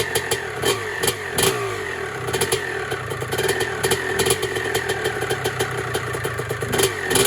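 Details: 1996 Honda CR250 two-stroke with stock 52 main jet and rebuilt carburetor, first start before restoration: crackly note snaps up and drops back in quick revs, clean without misfire or bog; runs healthy.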